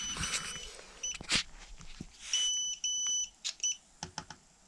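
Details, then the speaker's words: Xiaomi M365 electric scooter: over handling clicks, a long shrill beep then a shorter one, with error 21 on the display, a communication fault with the battery management system (BMS). "so we hear it so two long beeps and indicates upcoming races 28 months and on the display it comes to mark 21 so this error is linked or bms module i which has managed all your battery"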